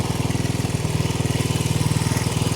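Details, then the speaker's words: 1970 Honda CL100 single, about 11,000 miles, freed from seizure, no battery fitted, still smoking from ATF in the cylinders while warming: steady, even quick thumping with no misses or knocks; normal idle. "this thing was stuck guys it's still smoking hopefully we get enough heat in it we'll clear it out yeah it sounds good"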